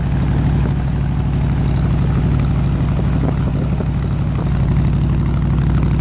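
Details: 302 V8 air-compressor engine, warm at 160 degrees with 9 psi fuel pressure, on re-ended plug wires: settles into a smooth, even low rumble with steady firing pulses, no knocks or misses; running healthy.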